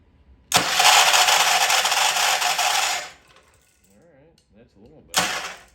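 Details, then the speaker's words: Old Troy-Bilt Pony rototiller cranked by key on a temporary battery after freeing slow-closing valves: harsh, raspy cranking about 2.5 seconds then a short burst; starter drags, owner suspects a valve spring issue. "better have a fighting chance here that is starter sound terrible"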